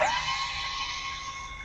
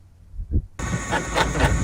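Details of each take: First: Airstream trailer power tongue jack after warranty shaft replacement: steady high electric motor whine, smooth, no grinding or clicking; runs up and down cleanly. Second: Power tongue jack on an Airstream International 27 trailer: loud electric motor grinding with a harsh clack about four times a second, traced to a faulty jack shaft, replaced under warranty.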